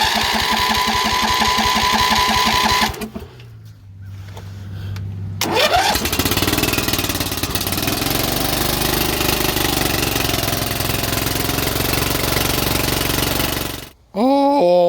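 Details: Briggs and Stratton single-cylinder engine on a Cub Cadet mower, previously blowing oil from the fuel pump with a bad head gasket, runs with a quick, even beat and no knocks or misses: normal running.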